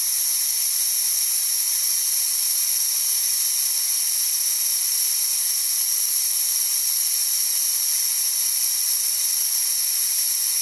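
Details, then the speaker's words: DeWalt D55146 air compressor, motor off after cutoff: a steady, high-pitched hiss as tank pressure bleeds back until it kicks on again around 160. The check valve is leaking air past and needs replacement. "as you can see it's going back down and it's going to kick on again about 160 or so and that's again because that check valve is letting the air by"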